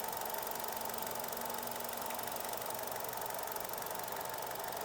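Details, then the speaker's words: Hyundai Avante (The New Avante facelift) gasoline engine, hood open at idle, dual-port injection with two injectors per cylinder: steady idle with fine, fast, even injector ticking over a faint belt hum; normal, nothing wrong. "그래서 사실은 후드를 열면 인 제트 인재 킹 하는 소리는 좀 많이 납니다"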